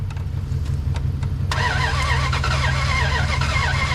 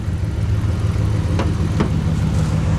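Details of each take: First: 2003 Ram 1500 5.7 Hemi, 426,294 miles, sat a while, old throttle body cleaned and refitted after failed start: cranks briefly, catches, runs lumpy and uneven with wavering note; flooded engine clearing, rough start. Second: 2003 Ram 1500 5.7 Hemi, 426,294 miles, old throttle body cleaned and refitted, after clearing a flooded start: even, steady V8 idle with a couple of faint ticks, suspected spark plug click near cylinder one; normal idle.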